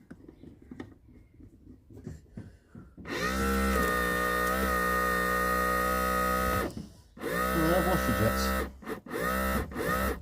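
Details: Skoda 120 screen washer pump after being taken apart, gears cleaned and reseated: steady buzzing whine at an even pitch in bursts of one to three seconds; the pump now runs and sprays normally.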